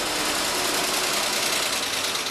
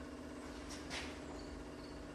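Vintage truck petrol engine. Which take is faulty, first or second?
first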